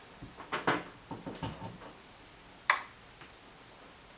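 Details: Samsung PN51D495 51-inch plasma TV with no power: soft ticks then a sharp relay click as it tries to turn on, red LED blinks and it shuts off; shorted Y-main board, replace it and check Y-buffer board.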